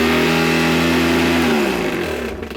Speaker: Oh boy. Brush roll bearing is gone. Wow.